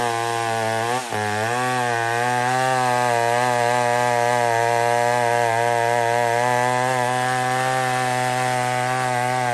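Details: Old McCulloch 1-71 chainsaw with 3/8 chain cutting wood after a major carb upgrade: gas line leak fixed, intake double-gasketed. Strong steady two-stroke howl dips slightly as it bites, then holds even through the cut. Normal running under load.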